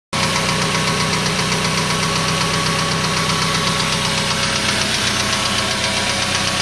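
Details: Suzuki Aerio engine running with sharp, regular rod knock, about two or three per second, from a spun rod bearing; the engine was replaced under warranty.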